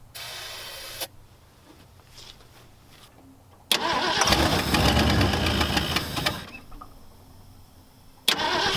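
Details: 1974 Ford Galaxie 500 that sat two decades, after a new rotor restored spark: starter cranks, engine catches a couple of seconds then stumbles out, as if starving for fuel, running only off the accelerator pump squirts.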